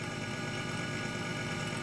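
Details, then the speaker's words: Grundfos 26-99 circulation pump on a hydronic heating system, horizontally mounted though meant for vertical mounting; steady even buzzing hum echoing through the pipes, no knocking; owner suspects the bearings are starting to go bad and plans a cartridge replacement. "i mean it'll work like this but i think because it is mounted like this if you listen to that get some dust on it doesn't it and it's echoing through the pipes"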